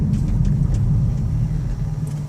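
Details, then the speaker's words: 2003 Ford Windstar LX van, 248K miles, hard stop at the bottom of a highway exit: only low road and engine rumble, no squeal, scrape or grinding; normal braking with no brake noise. "the brakes weren't squeaking they weren't grinding"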